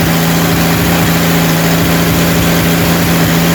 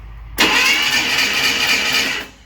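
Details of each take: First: Rebuilt 230 six-cylinder at about 2000 rpm during cam break-in, timing about 10° advance, 40 psi oil, 180° temp, not smoking; smooth even low hum, no ticking; normal fast idle. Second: Freshly rebuilt 230 six-cylinder first-start attempt, new fuel filter and fuel pump hooked up, no fuel reaching it yet; steady fast starter whirr for about two seconds with no firing; cranking without fuel.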